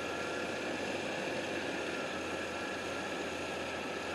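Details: 1990 Chevy truck, TBI injection, rebuilt engine machine-shop bored with about 2,000 miles on it: cold start with a steady, even idle and smooth hum, no knocks, ticks or misses; healthy engine.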